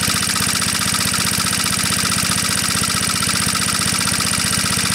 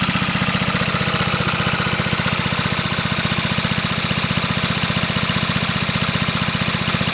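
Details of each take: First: Onan PE-88 military power unit (350 W rated) as a light is unplugged and reconnected; governor arm linked to the throttle butterfly responds quickly, and a steady single-cylinder beat holds constant speed without hunting. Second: Onan PE-88 military power unit (350 W, 115 V 60 Hz generator) running under about 85–90% load with no misfire; steady single-cylinder beat with a bright, regular valve clack, judged not that bad; fuel shutoff gland dripping fuel.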